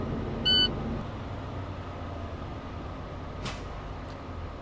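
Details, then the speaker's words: Manual Class-A truck during an air brake pre-trip check, engine ticking over with a little gas while the tanks rebuild to 125–135 psi: one short sharp puff as the governor cuts out; normal air system behaviour. "we now we have to rebuild our air tanks and so our governor can shut off again so we're going to wait for another sneeze"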